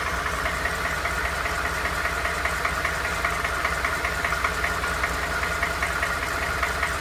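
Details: Ford F150 bought used, knock noticed after 1000 miles: steady idle with light, fairly regular tapping knock about two or three per second; engine knock, source undetermined.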